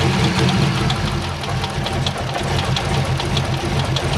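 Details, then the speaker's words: C5 Corvette Z06 at idle in six-degree cold, heard from underneath: sharp tick two or three times a second over rough rumbling idle, seems to come from one side; source unknown. "it does sound like it's on this side you know it slows down"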